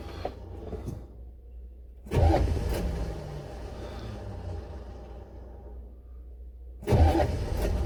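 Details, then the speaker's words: Buick Electra 5.7 diesel, cold start after a year sitting with an unrepaired blown head gasket, jump box, lots of ether, fuel system likely unprimed: two bursts of labored cranking that never catch; cranks, no start, owner suspects the starter. "ah hey well i'm not having a whole lot of luck here hopefully it'll catch"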